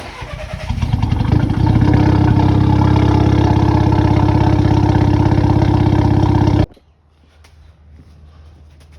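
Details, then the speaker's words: VW Scirocco, petrol engine starting and idling with a slightly uneven, lumpy beat: an intermittent misfire at idle that is absent while driving, with the engine light on. "I'm sure you've heard this car is having a slight misfire at idle, but when you're driving there's no misfire, so it's having an intermittent misfire"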